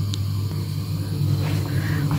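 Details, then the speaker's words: Home heating boiler, a replacement for an old floor-standing unit, installed in a cabinet: a steady, even low drone with no knocks or rattles, the boiler humming normally while heating. "вот он вот он здесь вот он во всей красе мы его спрятали в шкафчик Я думала может быть он деть вообще мы вот знаете как не подумали с самого начала А нам надо было его вынести вон туда в кладовку и он бы тут не гудел"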